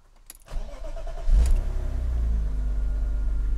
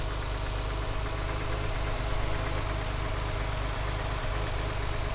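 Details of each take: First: 1995 BMW E36 M3 coupe, 3.0 engine, warm start after being driven: brief crank, catches quickly, settles into a steady, even low idle with no knock or miss; owner hears an unexplained funky noise at idle from the back; normal warm start and idle. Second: 1995 BMW E36 M3 coupe with the 3.0 engine, warm start, not cold: a steady idle with a faint light rattle heard toward the back. The owner does not know the source of the rattle.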